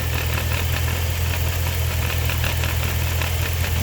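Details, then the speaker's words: Chrysler 300C SRT Design HEMI, 198k miles with a replacement engine of about 50k miles, at idle: a steady deep idle with a loose, uneven rattle; a vibrating part was found in the bay but the noise still seems to come from the engine. "This could be the rattling noise, but I still hear it in the engine, man."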